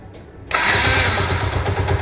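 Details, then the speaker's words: Yamaha SZ-R after repair of an engine noise problem, oil refilled: engine catches at once and settles to a steady, even idle with no tapping or knocking; normal start after repair. "सुनने में आ रहा हो कोई तरह का sound नहीं रहा इसमें कोई तरह का इशू नहीं एकदम परफेक्ट तरह से आवाज हो चुका है"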